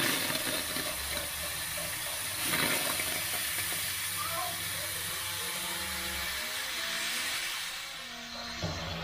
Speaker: so you can hear the water hammer is solved now so the water hammer's gone so it was the trap that was causing the water hammer